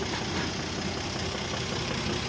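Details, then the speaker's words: 1967 Jeep Gladiator with about 6,000 original miles, first run after sitting 30+ years, idling smoothly and quietly with a steady low rumble, no knocks or ticks; steady vacuum over 20 inHg, oil pressure good. "So it's probably making over 20 inches of vacuum, nice and steady, so all the valve train is extremely healthy. Sounds quiet."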